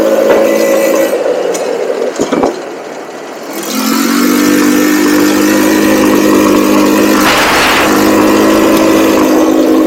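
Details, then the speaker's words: Cheap buggy's small engine during carb tuning drones at full throttle, then sags and drops away for a second or two before recovering; intermittent cutting out, cause unconfirmed; owner will recheck the spark plug and suspects the CDI. "I've seen videos about people saying that uh something like this could be caused by CDI so I might look for a new CDI on Amazon see what they got"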